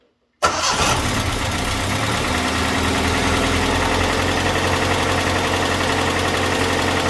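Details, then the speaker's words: Datsun engine on a cold start after an engine bay overhaul: it cranks, catches and holds a fast, even high idle because the choke was accidentally re-engaged. Idle should drop once hot; it runs much smoother than its earlier galloping cold shake. "a lot higher because the choke is on I was playing around a bit earlier and uh re-engaged it by accident so it'll turn off once it gets hot"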